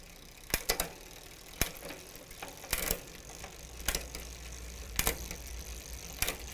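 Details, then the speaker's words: Huffy bicycle Shimano rear derailleur after about one turn counterclockwise on the cable adjuster to add tension: crisp, separate shift clicks with no skipping or chatter. It now shifts smoothly. "and it looks like that solved our issue there just by adjusting the cable tension just a little bit"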